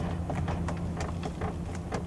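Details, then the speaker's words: 2024 Toyota Tundra 1794 i-FORCE MAX, about 7,500 miles, engine idling: short sharp plastic creaks about four times a second as the centre console is pressed. Console trim creaking, also plastic-on-plastic creaks at the door. "you could just hear some Creeks there also over here on the door where there's plastic hitting plastic you can just kind of hear it a little bit on there"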